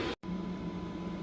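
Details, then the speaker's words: Chinese 2 kW diesel heater mounted under the passenger seat of a 3rd gen 4Runner, turned down from level six to setting one: quieter, soft steady low hum and even fan whir, no surging or rattles, heat less intense; normal running. "okay on setting one it's quieted up a lot and the heat is not as intense"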